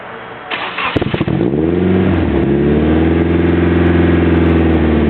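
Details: Nissan 200SX SE-R with Bluebird SR20DET and BC stage 2 264/264 cams, after boost: cranks and settles into raised, uneven idle with no throttle until it stalls; vacuum leak from a nipple blown off the intake manifold.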